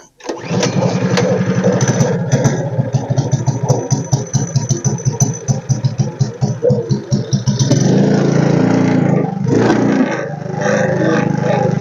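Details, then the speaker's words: Tillotson 212 mini bike engine started on choke after repair; quick uneven single-cylinder chugging falters and dies, won't hold idle; owner plans to raise idle adjustment; stalling after start. "okay so far so good oh it died on me I'm going to have to adjust the idle so we are going to adjust that idle up a little bit"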